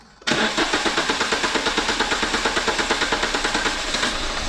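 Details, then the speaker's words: Renault Clio 182 petrol engine cranking at about five pulses a second without catching while upper cylinder head cleaner is poured into the intake; extended cranking, slow to start, needs a strong battery. "Now what you saw me do then is while Mark was cranking again, I'm just pouring the stuff down there. That's why it wouldn't start. So obviously make sure your battery's a bit strong."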